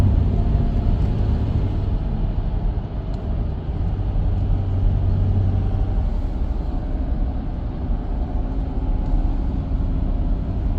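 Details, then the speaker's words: Porsche Cayenne 958 road test just after installing a new front differential: steady low road rumble with only all-terrain tire hum, no whine or groan rising with speed; front differential now smooth. "You can hear that it's buttery smooth now. Just keep in mind this car does have all-terrain tires, so it makes a little bit of humming noises."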